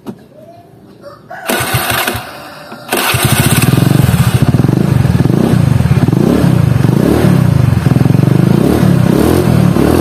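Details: Honda Beat carbureted scooter CVT, after replacing only the rollers and sliders: starts with a clatter, then a low, coarse drone rising and falling, harsh noise at low rpm.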